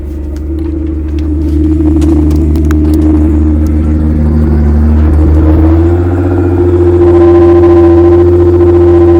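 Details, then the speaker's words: Nissan R35 GT-R in limp mode with warning lights on the cluster: fires and settles into a strong even rumble, revs step up cleanly without knock or misfire; normal start and idle. "But I'm going to show you guys that the car does run. My baby Shunar Bangla does run, but"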